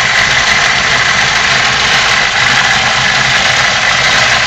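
Four-cylinder idle sounds uneven and lumpy under a loud hiss, with a wavering beat instead of a smooth hum; rough idle.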